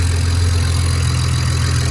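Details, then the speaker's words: BMW 335i on first start after fitting used replacement turbos, which were later judged bad: steady idle rumble with oil burning off the engine and no wastegate rattle. "is all the oil burning off of the engine sounds good though no waste gate rattle"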